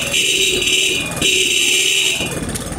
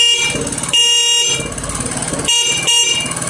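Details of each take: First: Motorcycle with dim lights at idle that brighten when revved: thin two-tone horn in short bursts at idle, weak and sagging as if fading out. Cause is a faulty regulator rectifier needing replacement. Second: Motorcycle horn after fitting a battery, engine running: several short, strong, steady toots with clean high tone, no wavering or flicker; horn fixed, normal.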